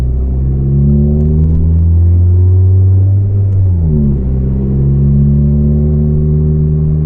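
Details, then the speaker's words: Volvo 440 driving with broken, loose exhaust section clanging against the car's underside, rattling worsening: loud, deep roar climbing with revs, dipping at gear change, rising again; exhaust leak. "that didn't sound good at all the exhaust just went clang clang took against my bottom my car's bottom of my boat that will be that will be worried"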